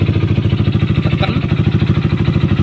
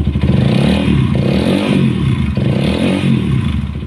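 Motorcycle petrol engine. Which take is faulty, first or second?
first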